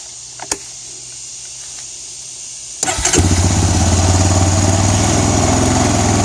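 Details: 2004 Honda Recon 250 ES ATV after Keihin carburetor rebuild with kit: brief crank, fires right up and holds a steady, even idle with a regular low beat and no stumbling; idle screw still to be set.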